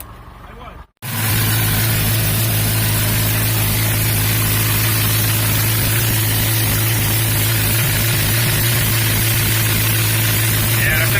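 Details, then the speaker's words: 1990 Mustang GT, first start after swapping in a replacement 5.0 V8 because the old block seized, with a non-carbureted manifold: brief silence, then catches into a steady, loud, even rumble with no knocks or misses; healthy start. "finally got it up and running we still got some gangsta workout she sounds really good"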